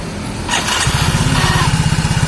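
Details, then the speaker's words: Soul GT scooter after repair, front CVT reinstalled, third test start: brief starter whir, catches within half a second into even idle thump; cause was an old compressed starter clutch spring not returning, bearing not worn. "teman-teman, nggak usah beli pelor. Soalnya pelornya nggak aus, cuma pernya yang nggak mau balik."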